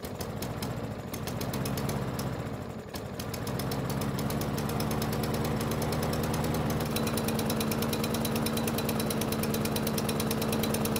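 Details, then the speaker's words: Yard Machines mower that wouldn't start, carburettor not removed for proper cleaning: stumbles on the pull, catches about three seconds in, then runs slow and lumpy; owner suspects the uncleaned carburettor. "so that was a very interesting startup if you hadn't guessed it that poor startup was probably a result of me not taking the carb off for a proper cleaning"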